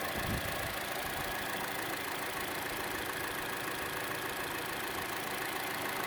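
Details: Chevrolet Cruze at idle, camera moved around the engine: light quick tick three to four per second, louder than normal engine tick, most noticeable on the belt side; cause unknown.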